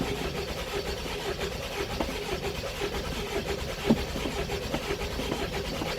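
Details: 2001 Mercedes Sprinter W903 diesel, long unused, cold start with Easy Start, glow light staying on: long steady starter churning, nearly firing but never settling into a run; hard start, stalls after catching.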